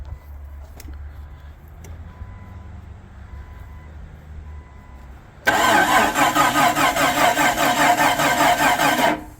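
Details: 1999 Jeep Cherokee freshly rebuilt engine, first start attempt with battery dropping to 10-11 V: starter cranks steadily for several seconds, never fires; timing later flipped 180 degrees as suspected cause; crank no start.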